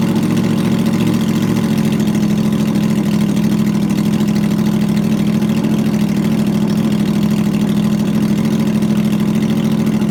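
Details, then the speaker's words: 2009 Yamaha R1 first start after rebuild for rod knock (overlapped connecting rod bearing, crank sanded, new bearings), with loud aftermarket exhaust: even exhaust drone at steady idle, no misses or knocks, all cylinders firing. "now we're gonna go ahead and start out for the first time since the rebuild hopefully everything goes smoothly"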